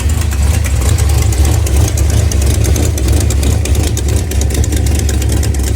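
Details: Petrol engine at idle: light, quick ticking over a deep rumble; owner wonders about header gasket, hole in header, lifter tip, rod knock or spun bearing, not confirmed.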